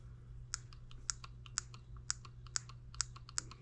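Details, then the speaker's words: Small M17B engine on the bench, unboxed, switch on with batteries fitted before fueling: sharp regular ignition ticks, about two a second, with fainter clicks between over a quiet hum; the ignition system is sparking properly. "we'll turn our switch on i heard it spark if you guys can hear that"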